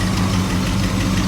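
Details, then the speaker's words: 1985 Chevrolet Camaro IROC-Z with a 305 V8, just started cold on a jump pack: low, rough idle with a faint quick tick; owner suspects leaking exhaust manifold gaskets. "Ooh, she cold. Come on, girl. As you can hear, I probably need some manifold gaskets and maybe a possibly new alternator or battery."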